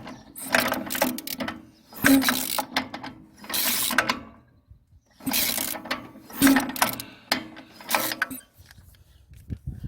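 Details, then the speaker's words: Old riding mower cranks but won't start: rattling starter bursts with quiet gaps, never catching; brake down, throttle up, key on, blade disengaged; dirty oil pan. "so that is a no-go what i'll do is try to clean it up a little bit and i'll show you some more in a minute"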